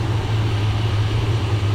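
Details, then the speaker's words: 1978 Dodge Ram crew cab V8 at idle, running worse the longer it idles, black smoke and a fuel smell, suspected of dumping fuel and flooding: heavy low drone with a rough rattle on top, owner thinks the noise is the AC pump. "See, the longer it idles, the worse course it runs but it runs okay the RPMs I think that noise is uh I think it's the AC pump making that"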